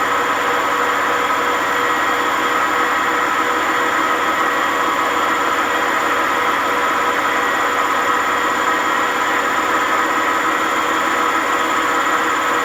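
A loud, steady roar with a harsh rumbling hum during the fast spin points to worn drum bearings.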